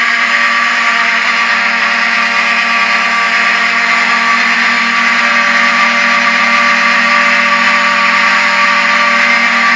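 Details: Vintage Wheelock 7002T horn strobe on demo board after pull-station activation: loud, harsh steady blare with slight irregular dropouts, the horn skipping as each strobe flash draws power from it.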